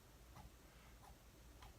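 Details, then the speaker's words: Drone whose front two motors became noisy, with poor handling on a test flight: a healthy brushless motor flicked by hand gives three soft, smooth swooshes about 0.6 s apart, free spin, unlike the rocker-arm sound of the bad motors. "this nice swoosh sound alright nice woosh sound"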